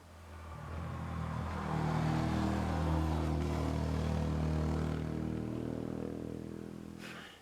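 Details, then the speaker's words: Yamaha Raptor 350 ATV after starter clutch repair, restarted: rises smoothly to a steady, even run then fades as it rolls away, no knocks or misses, sounds healthy. "It even sounds wonderful. It sounds happy. Sounds good."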